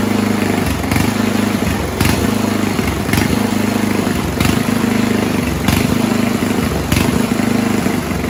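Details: 1970s Roper 1032 snowblower, probably 10 hp Tecumseh-style engine: steady putter with speed surging and sagging about every second at idle. Lean idle mixture; richening idle circuit after fitting fixed-jet bowl stopped the hunting.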